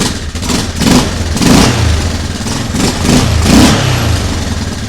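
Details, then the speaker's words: Yamaha Grizzly 600 ATV (about 1998–2001) single-cylinder after fitting a replacement choke mechanism: pulls steadily with throttle blipped about every two seconds, picking up cleanly; runs fine. "Seems to run just fine."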